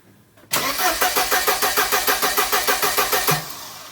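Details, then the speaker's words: 1994 Mercedes-Benz C180 (W202) that cranks but won't start: even starter cranking at about three beats a second for three seconds, never catching. Suspected no fuel delivery, with the fuel pump not running. "and as you can see the vehicle is cranking but it's not firing um and it's not going to run"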